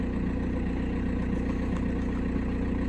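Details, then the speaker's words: 2006 VW Passat B6 1.9 PD TDI with 318,000 km that normally starts only in first gear, started and put in gear. The diesel idles evenly and confidently with no knocks or misses while the check-engine light stays on. Normal idle. "включаем сзади едем мотору все ровно мотор работает ровно уверенно горит чек на потому что рассказа мир исключено"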